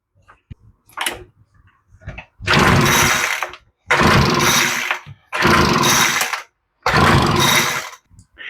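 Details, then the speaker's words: Troy-Bilt leaf blower after its unavailable original carburetor was replaced with an interchangeable one and primed. Pull-started with no spark plug installed, it gives four hard bursts about every 1.5 seconds, each dying with no firing. No start. "off camera and in the comments, we joke around about the dumb things we do sometimes, but this is classic. Let's try it now with a spark plug in it."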